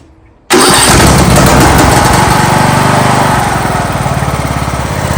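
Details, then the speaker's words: John Deere LA115 lawn tractor with a 19.5 hp Briggs & Stratton engine, before repair: fires up, then goes lumpy and sags while struggling to idle; dies at idle, smokes black, runs rich. Owner suspects a bad needle flooding the carb. "Looks a little rich. Looks like the carburetor flooding itself. Might be the bad needle overfilling the carb."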